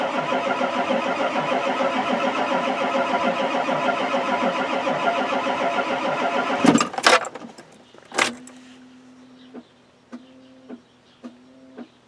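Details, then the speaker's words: Ford F-250 XLT 7.3L IDI diesel, cold: about six seconds of steady rhythmic cranking that never catches, because the glow plugs aren't working; the truck needs a new glow plug wire harness. "Come on, baby. Glow plugs aren't working."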